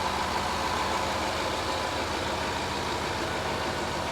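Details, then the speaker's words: 2011 Range Rover Sport, after blown head gasket repair, warm: smooth, even idle with a steady hum, no misses, no knocks and no smoke; running healthy. "listen to this thing run no smoke listen to her wow it's come such a long way"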